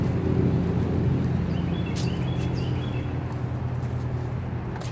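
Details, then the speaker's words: 2006 BMW 325i idling rough after owner fitted a breather hose and filter in place of the PCV system: low, lumpy, irregular beat about three pulses a second, owner believes running on three cylinders; new PCV system ordered. "it runs like absolute garbage absolute garbage I'm pretty positive because it's so pissed off at me right now it's only running on three cylinders"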